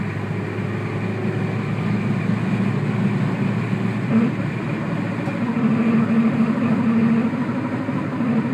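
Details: Peugeot 106 S16 engine dropping from a rev: a low droning rumble with a faint intermittent buzz on deceleration. Source unknown and not yet found.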